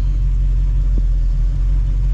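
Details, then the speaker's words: 1971 Ford Mustang 351 Cleveland with big camshaft, Edelbrock carburetor being tuned, long-tube headers, open exhaust: deep steady rumble idling in gear at 650 rpm, no surging or lunging against the torque converter; idle now correct. "hear it just kind of idles down in gear to 650 and gear it's real happy doesn't lunge against the converter anymore that's good"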